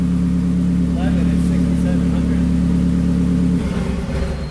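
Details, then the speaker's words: Turbo Honda Prelude on the dyno during tuning: a steady droning pull under load with uneven stumbles before backing off. It is misfiring heavily, the cylinder is unknown, and the cause is unconfirmed. "Yeah, but it's misfiring like crazy."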